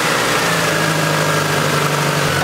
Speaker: So, as you guys can probably tell, the engine is running way too high due to this vacuum